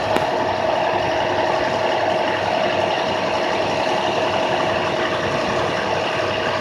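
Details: 2006 IC CE handicap bus diesel at high idle: steady, even running with a constant hum and no knocks or misses; high idle working normally.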